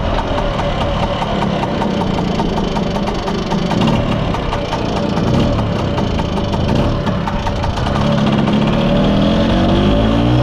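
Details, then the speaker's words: Mostly original Spanish Lambretta Jet 200 (Serveta) two-stroke on test ride after carb slide cutaway changed from 1.2 to 2.2; crisp, even beat picking up slightly near the end, silky smooth; mid-range spluttering/flat spot cleared, main jet seems about right. "well back from the test drive it was a phenomenal success it runs super smooth silky smooth even i'm quite impressed"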